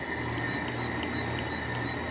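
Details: 2000s Sharp 6,000 BTU window air conditioner on high cool: a steady, even fan whoosh with a faint constant hum. Running normally.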